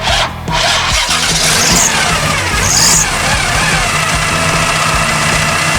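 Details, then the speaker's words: 1974 Chevy Nova with a 4-barrel carb after years sitting, running with the air filter housing off. It catches and settles into a steady, even run with no misses or knocks. "That's what we want. That's the noise we want. Looks good. Looks good. It's running good."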